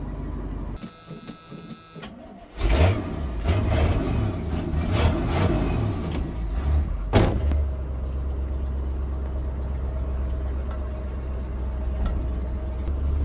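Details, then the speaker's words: 1979 Chevy C20 big block truck, sat 10–13 years, possibly 10-year-old fuel in tank; cold engine with choke wide open; cranks, catches, revs unevenly with stumbles and surges, then settles low and uneven before dying; cause suspected, unconfirmed. "it's stuttering a little bit but we're just starting out so hopefully when it gets warmed up it'll smoothen out she died"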